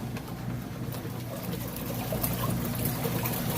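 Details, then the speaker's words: Kenmore top-load washer in the agitation portion of the rinse cycle. Water sloshes with a soft back-and-forth knocking about three times a second as the agitator reverses. Normal agitator operation. "kind of knocking back-and-forth noise that's normal I get that question a lot if somebody has a washer without an agitator or front load washer they're not used to hearing that sound so that's good sound it means your washer is working appropriately"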